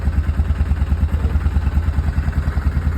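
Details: Yamaha Kodiak 450 ATV after replacing a starter solenoid that had power but wouldn't pull in: starts and idles with steady, even low thumping about three beats a second, no misses or knocks; normal start and idle.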